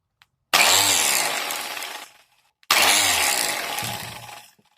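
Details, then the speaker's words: Angle grinder making a strange noise: two short runs with harsh rattling grating roar fading on coast-down; opened up, the bearing was broken and had no grease. "se rompió el rodamiento de no tiene grasa"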